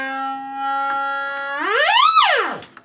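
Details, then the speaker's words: AWA R7077 beat frequency oscillator circa 1943 after restoration and reassembly in its case, through a connected speaker; clean steady tone that sweeps smoothly up in pitch and falls away; normal oscillator tone. "turn it on and zilch nothing so oh [ __ ] let's uh connect up the uh speaker oh there it goes cool"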